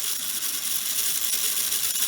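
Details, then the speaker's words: Lionel prewar 229 locomotive motor, run on the bench after being dormant for years: thin, high-pitched whir with fine, rapid metallic chatter from the dry gearing; motor otherwise working. "you can hear that chattering that's because it's gonna dry but you don't want to do this too long"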